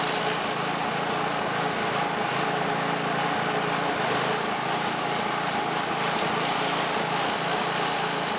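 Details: California Trimmer reel mower small engine first running after recoil repair, oil checked full; steady buzzy drone, no clear hunting heard yet.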